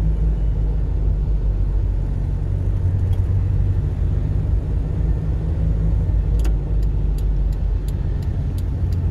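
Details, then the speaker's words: 1992–2004 Toyota Hilux SR5 2.8/3.0 driving with steady low road rumble and no buzz or rattle from the instrument panel after loose panel parts were secured; dashboard now quiet. "eu quero que vocês escutem o painel Desculpa era o som do silêncio escuta o som do silêncio que ficou esse painel agora"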